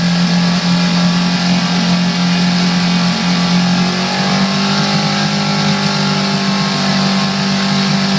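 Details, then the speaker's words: Coleman 5 hp outboard revved to about 2000 RPM: a buzzy, loose metallic rattle over the engine note. The owner thinks it sounds like a loose exhaust pipe, but nothing loose is seen with the lid off; cause unconfirmed. "okay so it did make that noise um you know to me it sounds it sounds like an ex a loose exhaust pipe on a car or something"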